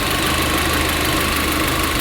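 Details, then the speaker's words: VW Golf GTI after fuel filter replacement, still idling lumpy with a steady airy hiss, air escaping from one of the vacuum lines; vacuum leak, traced to a snapped vacuum pipe. "I can hear air escaping. The engine was definitely still running lumpy, and I was almost certain that I could hear air escaping from one of these vacuum lines."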